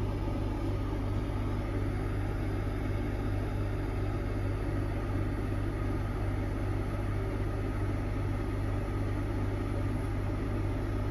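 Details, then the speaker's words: Heron 2.2 air conditioner compressor in a 25+ year old Windsor off-grid caravan, running from lithium batteries through a Victron Multiplus. A big clunk on start-up, then it settles to a smooth, even hum at about 750 W with no rattles. "see that initial initial load that big clunk on so that'll settle in a second let's see what she pulls let it run"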